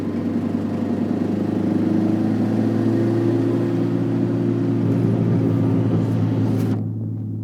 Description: Ticking noise under 2k rpm